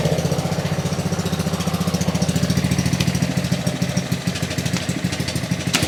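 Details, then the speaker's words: Ryobi RY80940B pressure washer with Honda GCV190 engine, made 2018, trash picked, first pull on choke: uneven, stumbling chugging; carburetor issue suspected, carb cleaning planned. "I think we have some carburation issues"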